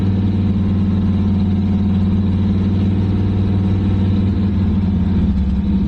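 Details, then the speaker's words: Abandoned 1985 Camaro IROC-Z Z28, sat over 10 years in a field: fast, steady high idle with deep even drone, then dies because the fuel pump was not switched on. "Okay. And it just died. Okay. So, I realized why it died. I did not have the fuel pump on."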